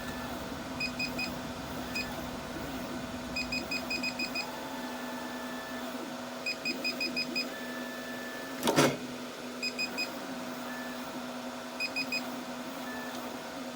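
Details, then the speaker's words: Artillery X3 Plus 3D printer, Z and Y motor cables swapped at the main board to isolate a fault: steady low hum with crisp stepping chirps, no grinding or stalling; Z-axis moves normally, the faulty stepper driver is on the Y channel. "Remove the Y motor cover on the rear of the printer and check Zed and Yaxis function. The Z-axis works perfectly fine now."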